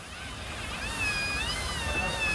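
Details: Toyota Hilux front half-shaft (semi-eixo): thin wavering high squeak over low rumble from dry joint; lack of grease, cured with white grease spray.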